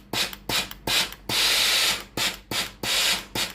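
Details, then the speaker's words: Tefal GV8461M0/23 steam iron with no steam and red blinking water light (clogged boiler inlet), lower button pressed: crisp clicks about every half second, water valve alone switching normally. "ตัวสวิตช์ด้านล่างตัวนี้ก็จะได้ยินเสียงวาล์วน้ำทำงานอย่างเดียวนะครับดังแต๊กๆนะครับ"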